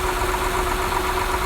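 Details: 2008 Honda Accord 3.5 V6 at steady idle: light, quick metallic ticking on top, said to sound worse on throttle; suspected valve train ticking from valves out of adjustment, due around 100,000–120,000 miles.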